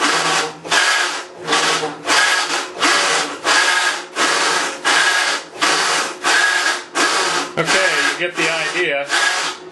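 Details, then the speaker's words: Maytag Centennial Commercial Technology washer, about 14 months old, overloaded for demo, agitating rinse water, recorded ~5 feet away: rough gravelly churning rises and falls each agitator stroke, ~40 a minute, owner estimates 100–110 dB; drive grind, cause unconfirmed. "I think I lost at least 10% of my hearing over that I'd say the level is 100 decibels maybe 110 when all that noise is going on is deafening"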